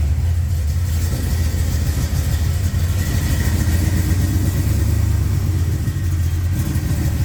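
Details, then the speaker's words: 1969 Camaro's freshly rebuilt 327 small block (bored .040 over, line bored, new cam bearings, H-beam rods, flat-top pistons, 480-lift cam) idles with a steady, even low rumble, no knocks, ticks or misses; healthy, tight engine. "All right. Super pumped, super pumped. Can tell she's tight. She's a tight engine."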